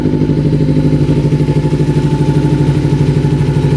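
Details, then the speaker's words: 1988 Kawasaki Ninja EX500 parallel twin, after bypassing and plugging the faulty vacuum fuel pump line to the carb: even steady putter at about 1500 rpm idle, evenly spaced firing, no misses, running smoothly. "so that's a lot better now so we just bypass that uh vacuum line going into the car plug that off now it's idling perfectly right at 1500 that sounds so much better"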